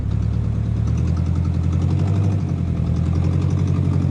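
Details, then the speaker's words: Junkyard car being built into bump-and-run race car: lumpy idle with stumbles, misfire; owner plans to swap the upper brick coil pack hoping the misfire goes away. "All right, we're gonna go pull it up to the shop, see if we can swap out that upper brick coil pack unit there, and hopefully our misfire goes away."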